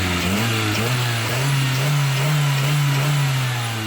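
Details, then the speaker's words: Old petrol engine after a Sea Foam treatment and idle adjustment: revs up cleanly and holds a steady, even hum, with no misses or stumbles; carbon cleared, throttle response restored. "I do believe that was a success as far as response."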